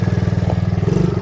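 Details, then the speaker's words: Small ATV that had been sitting and wouldn't stay running, now being ridden: even, quick beat of about eighteen firings a second, smooth and steady with no misses; normal running, driving pretty good. "Alright, it's driving pretty good though. It's going pretty good."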